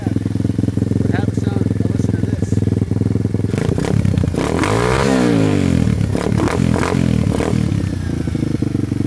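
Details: Tao Tao 140cc Chinese single-cylinder kickstart dirt bike, engine already warmed up: steady, quick popping idle with revs rising and falling smoothly, no knocks or rattles. Normal running.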